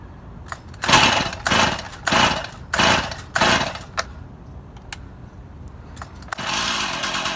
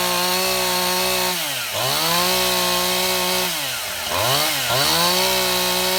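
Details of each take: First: Stihl MS171 chainsaw, a cover left off for priming, run outside: revving surges about every half second then uneven settling, only runs on choke; fuel restriction, engine starving for fuel from a blocked carburetor fuel screen. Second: Stihl MS171 chainsaw test run after a no-start repair: new ignition module, spark plug heat range and gap corrected, fuel line and carburetor serviced, debris found in the carburetor's secondary filter. A crisp, high two-stroke buzz dips and climbs cleanly with the throttle, with no stumbling; running healthy.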